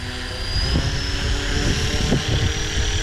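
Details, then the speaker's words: FLISHRC Roban MD-500E 450-size electric helicopter on maiden flight spooling up: whirring rotor with an uneven pulsing wobble; owner suspects the flexible vertical and horizontal stabilizers vibrating, unconfirmed. "now that wobbling noise that noise I think that is um the vertical and horizontal stabilizer is really flimsy or no not flimsy but flexible and it makes that noise"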